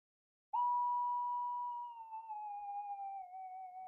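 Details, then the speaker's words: Minelab SD/GP/GPX detector with a balanced double-D coil in mono: a single clean steady threshold tone, much quieter than the other double-D, without its deep burble noise. "Listen how quiet that is compared to that other double D. I'll crank the volume up so you can actually hear it. There you go. It's a hell of a lot quieter. It hasn't got all that deep burble noise."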